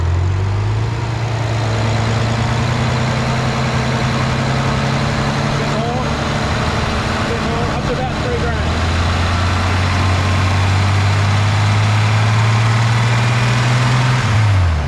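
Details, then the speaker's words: BMW N54 single-turbo petrol engine held just above idle while bleeding the cooling system, making an unfamiliar light uneven tick about four a second; owner suspects an exhaust or turbo manifold leak, unconfirmed. "yeah it's making a noise that doesn't normally make give us a minute okay guys so neither of us has ever heard that noise before"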